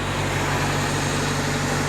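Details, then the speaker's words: Car restarted after fitting a new drive belt, having lost some fluid: steady even idle with smooth low hum, no squeal or chirp; belt noise gone. "So, I'm going to start it up again. Let's see. Beautiful. No more noise."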